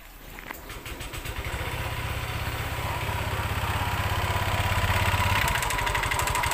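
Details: Honda Vario 125 scooter run late on oil change: harsh, gravelly running with a fast uneven patter about three beats a second over the idle; piston found damaged and worn.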